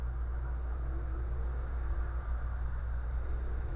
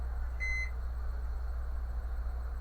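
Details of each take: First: Brastemp microwave that made a buzzing noise when switched on, after replacing the magnetron, suspected of an internal short. A steady low hum with a faint constant high tone and no buzzing or crackle; it now runs perfectly. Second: Brastemp microwave switched on: a short start beep, then a loud, steady low buzz. Current to the magnetron measured normal; a faulty magnetron is blamed.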